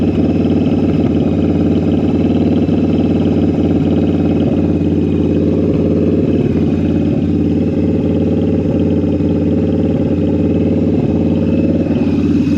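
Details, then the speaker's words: Jocker Bobber V-twin motorcycle with Cobra exhaust, after synchronizing the carburetors with a gauge: steady, even idle with a smooth loping beat and no hunting or stumble; the carbs are balanced. "That's pretty good. All right. Carburetors are synchronized."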